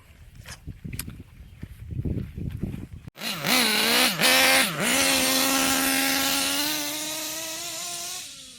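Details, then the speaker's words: Kyosho KE25 Big Block nitro engine, wide-open pass: screaming note climbs, stumbles twice, holds flat soft top; still too rich, needle to be turned in about 2 hours. "so I've made another pass, still too rich."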